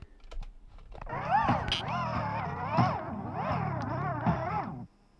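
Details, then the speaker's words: 1980s Sanyo M-G12 personal cassette stereo before belt replacement: playback warbles and drags in pitch, then dies after about five seconds, and it barely fast-forwards or rewinds. Worn, slipping drive belt. "oh did you hear that it was making very yeah that's just slipping let me see if I can let me see if I can get that in closer for you so yeah it's not it's barely fast forwarding or rewinding"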